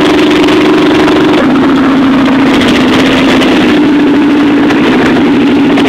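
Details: Chevy 350 V8 in a school-built T-bucket, first start-up after rebuild: steady, even idle with a smooth low drone and a slight step in speed, running clean; normal idle.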